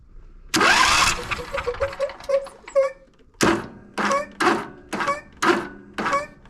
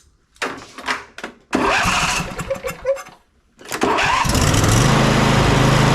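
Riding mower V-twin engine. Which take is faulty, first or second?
first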